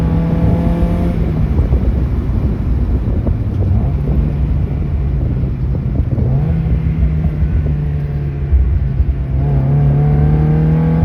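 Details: Mazda Miata on SpeedyEFI: pulls through the revs, then stumbles and breaks up consistently at 4900 rpm before recovering; high-rpm misfire.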